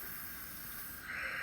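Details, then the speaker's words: Turbo diverter valve bench pressure test at 30 psi: steady rushing air hiss brightening with pressure; valve holds only about 5–6 psi. Diverter valve leaking boost. "close very poor that's actually pretty disappointing sitting right at about 5 6 pounds at 30 psi of pressure so not good at all"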